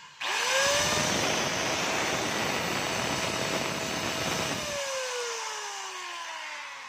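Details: DeWalt DWE8300S 4-inch angle grinder test run after repair: the earlier noise was from the bearing, and now a clean, steady high whine spins up, holds, then winds down smoothly with no rumble or grind; it runs normally.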